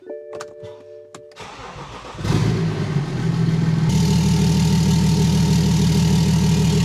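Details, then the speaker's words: BMW X5 diesel with intake manifold, airbox and inlet pipe removed, most components disconnected: cranks briefly then settles into a loud, lumpy, uneven idle; misfire reported by previous owner, likely an injector, not confirmed. "So I don't know if you can hear that, but obviously this car has a misfire. And I was told about that by the previous owner."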